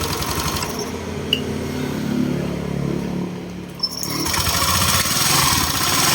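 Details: Honda Click 125/150 scooter after water pump replacement and coolant refill, running while checking for leaks: small single-cylinder engine idles with an even, steady buzz, no knocks or rattles; running normally.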